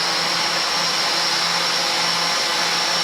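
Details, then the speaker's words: Litehawk Quattro RC at full throttle after resetting two misaligned pinion gears: steady, even high-pitched motor whir with no grinding, noise about 95% cured; the cheap bearing bushings were also suspected. "So that's actually a pretty respectable sound out of it."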